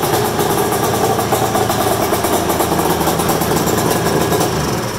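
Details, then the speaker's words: Polaris super mod flatland two-stroke sled, test-fired in the shop with the belt off, fresh top end and rings, 50:1 premix plus oil injection (smoky from air in the oiling system): crisp, steady, healthy two-stroke idle. "Oh God the smell of 2-stroke in the afternoon that's like Cologne Oh the thing that sounds so good put all that smoke in the air that's the best part about a 2-stroke"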